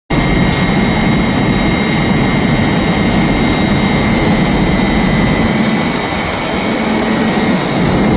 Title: इंजन से आवाज आने वाली मोटर की आवाज यही से आती है